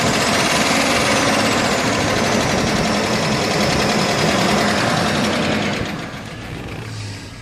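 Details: 1999 Chevy Silverado 1500 5.3L at idle with low oil pressure: sharp steady ticking about four a second over the engine hum, once every two revolutions; source thought to be between cam and valves, unknown.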